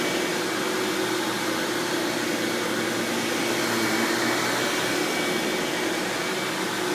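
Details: 1997 Hoover Dirt Finder Power Drive self-propelled upright vacuum, model U6331-930, Elite style, running: smooth, constant rushing whirr with faint steady hum, no knocking, belt flap or grinding; exceptionally smooth, surprisingly quiet, normal running.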